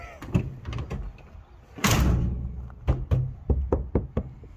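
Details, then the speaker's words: Dodge van door after Jegs sound deadener added to door panel and brace: several dull, solid shut thuds with hardly any tinny rattle, versus the rattly door before; well-damped, solid door shut. "oh it's much better that's so much better now he's got to fix this door"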